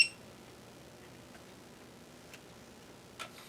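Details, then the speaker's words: Amiga ZIF 500 floppy drive, tested with a makeshift floppy cable and Amiga Test Kit 1.6: a few sharp, isolated ticks about a second apart; owner suspects the head is getting stuck and the drive not reading. "Yeah, doesn't sound good. That don't sound good. Alright, so that doesn't work for nothing. It sounds like the head's getting stuck."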